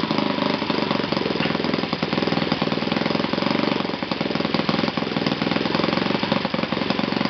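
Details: Yamada (Futaba) YS F 120 four-stroke glow model engine, fully rebuilt, running on a test stand with a Yamada No. 4 glow plug: fast, even buzzing at a steady pitch with no misfires or sag; powerful and running cleanly after tuning.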